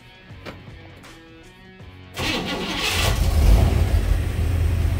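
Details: 1956 Chevy Nomad V8 after alternator rewired with a 10-gauge ground to the mounting bracket for a charging issue: quick crank, catches, settles into a deep, steady even idle; generator light goes off; normal start and idle.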